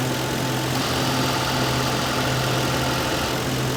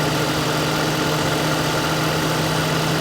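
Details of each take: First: 2006 Lincoln Town Car AC at idle, stop-leak added then Freon can charging: idle note shifts as compressor load comes on and drops off every few seconds, then it runs full time; short-cycling from low refrigerant, suspected small leak. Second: Lincoln Town Car at idle after 3-in-1 stop leak and a full can of Freon, its compressor previously cycling on and off: now an even idle with a steady hum from the compressor running full-time, no rattle or squeal, blowing cold.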